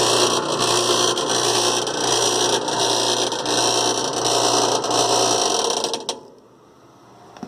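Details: Rattling noise during all washer cycles, just after tub bearing and seals were replaced; agitator seems fine. Loud rough hiss-and-rattle with faint uneven clatter about four times a second, then stops; rattle source undetermined.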